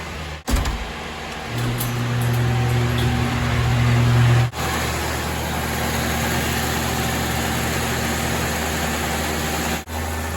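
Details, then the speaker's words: 1985 Nissan 720 freshly rebuilt engine coming up to temperature after about 15 minutes running, now at low idle; steady, even, smooth idle with no knocks or misses, owner pleased. "i'm going to keep doing this i don't want it to sit like this for too long low idle but oh my goodness i'm pretty happy with that"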